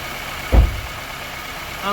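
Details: Normal idle of a KIA Sportage 1.6 T-GDI petrol, just started after an oil change: low, steady engine hum with one brief thump near the start, then an even idle; sounds healthy, no leaks.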